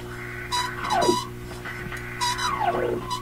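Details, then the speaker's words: Philips Sonate BA581A vacuum tube radio: whistles sweep up and down in pitch as the dial is tuned over a steady low hum, howling close to oscillation or regeneration; owner suspects it needs alignment, not confirmed. "it sounds like the radio is getting close to breaking into oscillation or it's a regenerative type sound"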